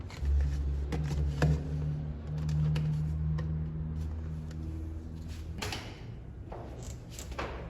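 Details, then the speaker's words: Newly installed electric fuel pump for a carbureted Fiat 147 engine, primed, ignition on, pumping fuel into a bottle: steady low electric hum with light even ticking, no strain or gurgle. Pump working normally. "Ahora voy a colocar acá esta botellita, vamos a poner en contacto y vamos a ver si la bomba empieza a llenar con combustible esta botellita."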